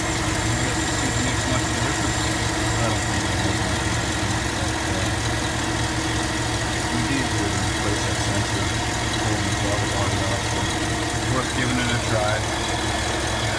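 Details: 2007 GMC Yukon Denali V8 started after replacing the throttle position sensor over a TPS code and adding a throttle body spacer: steady, even idle with a smooth low rumble, no misses, knocks or hunting; normal idle.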